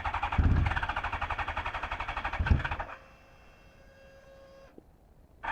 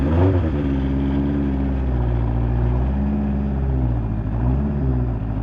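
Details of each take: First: Fuel-injected 1983 Honda CB1100F prototype, revived after 17+ years in storage, with a new fuel pump drawing about 2.5 A. Hard starting, especially when warmed up: the starter churns about four times a second, the engine catches briefly, dies, then cranks again. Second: Fuel-injected 1983 Honda CB1100F prototype, first start after 17+ years in storage. The four-cylinder catches and settles into a steady, even run with a few light throttle blips. Sounds healthy; normal running.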